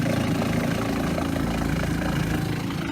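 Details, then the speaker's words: Shurflo 4008 maple sap vacuum pump in its pump box, 175 taps on 3/16 tubing, about 6°C: with the 3-way valve closing the bypass, a steady low hum with an even pulse of about three beats a second as it works harder under load; normal. "You can hear the vacuum. You can hear the pump starting to work a bit harder now that it's pumping."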